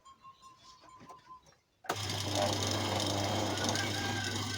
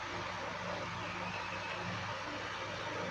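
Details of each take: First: Secondhand electric fan switches on with a loud, rough groan and heavy low hum. The blades still spin freely, and a loose motor shaft in a worn sleeve bushing causes the groaning vibration. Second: Second-hand electric fan after its motor bushing was serviced and reassembled, running on speed 1: a steady rush of air over an even low motor hum. It runs smoothly and normally now.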